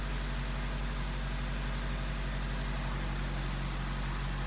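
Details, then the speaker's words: 2003 Honda CR-V first cold start after timing chain repair: starts right up, smooth even low idle with steady beat, no ticks or rattles; runs much better, check engine light no longer on, long-term fuel trims at 0%. "starts right up Wow this thing runs so much better oh my gosh Wow just gonna let it sit here idle for a minute"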